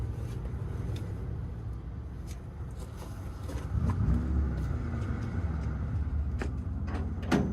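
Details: 1962 Chevy pickup sitting about 20 years, cranking through poor wiring: low, steady whirr turning over about three or four strokes a second without firing; starter cranks fine.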